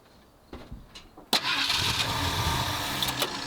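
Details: 1977 Ford F250 351M with Duraspark II electronic ignition, new plugs and coil, cold start on choke: cranks and catches, then uneven, stumbling rough idle; later improvement credited to carburetor blockage and carbon-fouled plugs.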